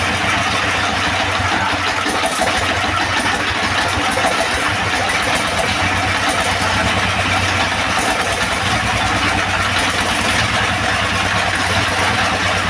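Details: Second-hand S1115 single-cylinder diesel that would not start (found partly opened by the owner), serviced until it ran; now a strong, even chug with no misses or knocks. No remaining problems, and the oil indicator rises well.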